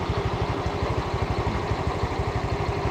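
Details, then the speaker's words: Honda Vario scooter (ojol rider's bike, handlebar replaced but not the CVT weights) idling after a test ride: regular, evenly spaced low pulses, no clatter or rattle from the belt drive; engine and CVT declared normal and safe. "Oke Pak Bu ini sudah dinyatakan normal aman Secara mesin CVT juga"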